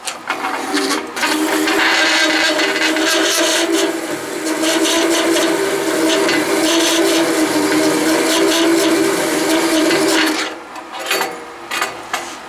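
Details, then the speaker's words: VFD-driven Delta saw converted to metal cutting, about 100 feet per minute, fine-toothed blade slowly cutting one-inch-thick steel: steady grinding buzz, holds speed, no stall or VFD overload trip despite an earlier overload. "slow cutting but as thick metal with a fine-toothed blade I was not able to stall it"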